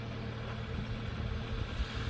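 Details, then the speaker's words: 1998 Toyota Corona Premio, 7A-FE engine, first start after decarbonizing, oil change and reassembly: low steady even idle rumble, no misses or knocks, no smoke; healthy. "Господа все завел первый запуск Как говорится ателье работает"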